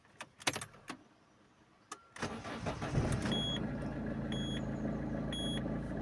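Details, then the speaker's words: Peugeot 206 1.4 HDi diesel, nearly 350,000 km, after removing the damper pulley that caused a startup clack: starter whirrs, engine fires to a steady idle without clatter; normal start and idle, slight noise changes with A/C. "donc ça claque plus il y a quelque chose qui cuit un peu quand même"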